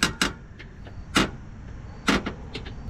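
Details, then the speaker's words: 2022 Toyota Tacoma front end: short sharp squeaks and screeching creaks in uneven bursts as the body shifts, traced behind the fender liner to a worn front body mount bushing; WD40 didn't help, so the mount is being replaced. "once I took the fender liner off there is this bushing over there that uh appears to be the front body Mount and uh this is where the sound was coming"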